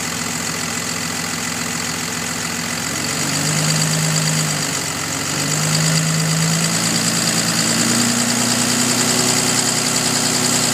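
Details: 2005 Dodge Cummins 5.9 diesel idling: faint, fairly even tick or knock about three per second over the clatter, loudest when cold and fading somewhat once fully warm; source unknown.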